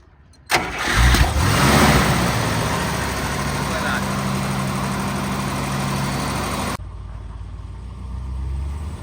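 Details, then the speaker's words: 1955 Buick that used to stall at low speed, after re-fitting and tightly squeezing a clip with pliers; short crank, fires right up and settles into a smooth even idle with no stumble or stall; normal start and idle. "car has no problem starting up"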